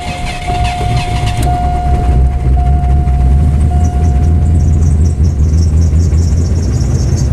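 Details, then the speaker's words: 1984 Lincoln Continental after winter storage, retried after tightening down a part that was off for the winter: brief cranking, then it starts and settles into a steady low idle with light throttle. A little smoke puffed out, thought to be excess fuel. "And there she is. Yeah. Keeping the foot on the gas just a bit to make sure that she Stays running."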